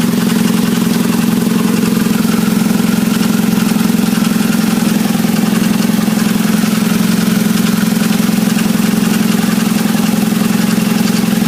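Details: 1997 Nissan Altima with rattling and low power, engine idling: a dull, even rattle about three times a second; later traced to a torn rubber gasket seal after overheating from faulty fans, which caused stalling.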